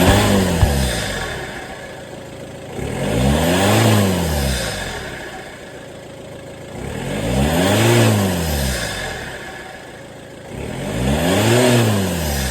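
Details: VW Touran TDI diesel after swapping a faulty reconditioned turbo for a scrapyard one to fix a boost problem: idle, then three clean blips rising and falling smoothly with no knocks or whistle; running healthy.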